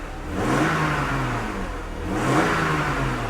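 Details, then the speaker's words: 1997 BMW E39 after new plugs, gasket and grommets: two clean throttle blips, revs climbing and falling smoothly with no miss; engine healthy. "and smooth main thing I'm interested in though is I know it's gonna be smoking for a while because all the oil that's been leaking all over the exhaust has got to burn off"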